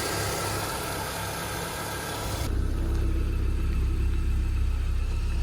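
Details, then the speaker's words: BMW E36 Compact 316i after fixing an air leak with a new MAF sensor: smooth, even low idle with no stumbles or misses, much more stable than the earlier rough, misfiring idle. "so much more stable yes guys let's go"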